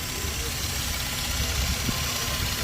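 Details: Toyota Land Cruiser previously cranking without starting, fuel pump tested: engine catches and holds a steady, even idle under background noise, no knock or stumble; sounds healthy.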